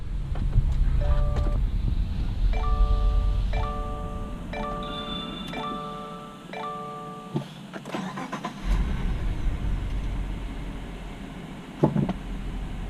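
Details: 2017 Subaru Legacy 3.6 after oil and filter change with AmazonBasics oil, about 6 quarts: chimes, brief crank, catches into a quiet, even idle with no knocking or rattle; oil pressure light goes out; normal start and idle.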